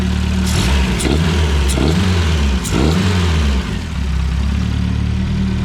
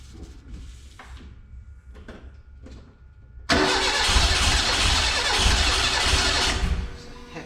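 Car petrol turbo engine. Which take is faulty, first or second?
second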